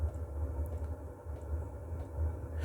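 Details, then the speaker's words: Stationary diesel heater switched to power mode: fuel pump starts, then burner lights; low steady rumble with soft even pulsing as the flame catches and settles; normal startup. "J'entends la pompe qui se lance. et la chaudière. Voilà la flamme qui se fait."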